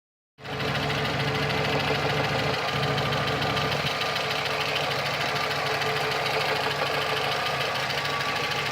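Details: VAZ 2115, 203,000 km without overhaul: light, fast, uneven ticking knock over a steady idle from camshaft axial end play; the knock stops when the pulley is pressed hard with a wrench and returns when released.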